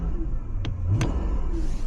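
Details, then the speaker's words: Lexus LS430 running E60 ethanol fuel, started in about 30°F weather after sitting. Revs rise and fall cleanly with no spitting, sputtering or stumble. Starts right up and pulls smoothly. "I can rev it up and it revs up fine. No spitting, no sputtering. It starts right up."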